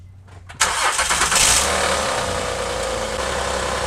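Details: 2008 Honda Odyssey, about 170,000 miles, previously making a terrible noise in gear and not moving due to a broken axle bearing, after fitting a new axle: engine settles into a steady even run in gear with no clunking or grinding; normal running in gear.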